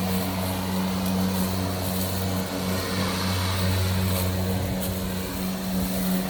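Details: Milwaukee electric lawn mower with loose power button held in by a pressure clamp: steady, even motor hum at constant pitch, no dropouts or surging; runs normally.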